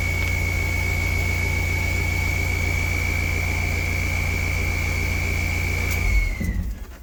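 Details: Mahindra Roxor diesel, first start after fuel filter change: catches and settles into a smooth, even idle with a steady high whine over it, then shuts down cleanly; normal diesel idle.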